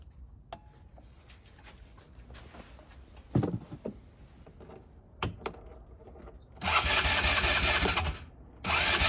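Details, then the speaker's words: Neglected 2010 Polaris Ranger RZR 170 that sat for years, fuel poured in, airbox off: several short cranking bursts, catching only briefly twice and dying. No fuel was coming out of the carburetor. Crank, no start. "got plug in the spark plug again I'm going check if there's fuel coming out of the carburetor just nothing"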